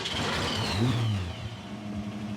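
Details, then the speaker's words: Abandoned classic Mustang from a junkyard, likely the blue one, after being left for dead: fires quickly, revs briefly, then settles into a smooth, even idle with no misses or knocks; runs healthy, though slight blow-by is noted afterward. "dude this thing runs so good it was just left here for dead it's crazy"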